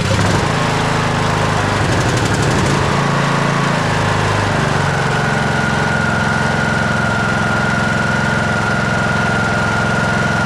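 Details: TroyBilt lawn tractor after oil change, oil between add and full, cold weather, parking brake set: small engine settles into steady, even chug with faint high whine over it and no knock; normal running.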